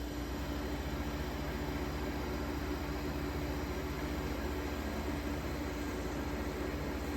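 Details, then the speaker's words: 1953 Fedders Weather Bureau room air conditioner with Tecumseh S-type compressor, after electrical upgrade and service, just plugged in and already blowing cold. Steady, even hum with smooth airflow, no knocks or rattles; normal compressor operation. "Anyway, without further ado, plug her in and see what she's got. Man, that sounds beautiful."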